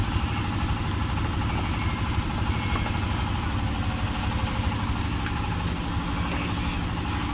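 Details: Honda Vario 125 scooter, hesitating at mid and full throttle from a faulty throttle position sensor, being revved during testing: steady, even engine drone with no stumbling, surging or cut-outs; running healthy.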